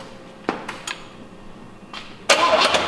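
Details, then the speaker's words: 1986 Oldsmobile Cutlass from a salvage yard, oil drained, key bumped briefly: two quick starter bumps, short whirring cranking bursts with no binding or clunk; engine turns over freely and isn't seized. "we just don't wanted to make sure that the motor cranked over it's not seized up even though I was moving it by hand very easily the motor seems to be okay"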